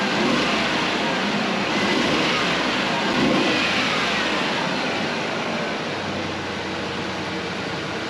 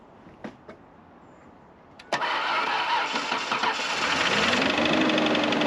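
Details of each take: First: 1996 Ford Ranger 3.0L V6 warming up, gas age unknown: steady even idle, constant hiss and drone, misfire smoothed out; lots of soot from exhaust, likely the cylinder fouled by the faulty injector. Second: Abandoned 1996 Ford Ranger 3.0L V6, long parked, started on jumper pack: cranks and catches, then rough uneven idle loping about three times a second; one cylinder not firing, its platinum plug badly fouled.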